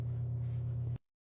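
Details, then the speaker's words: Electrolux LTD13 washing machine, noise during spin and water drain: loud, steady low hum with faint rough pulsing from the drain pump, whose impeller was found broken. "para fora já percebi o barulho vinha da eletrobomba porque nesse momento a única coisa que tá em movimento é a"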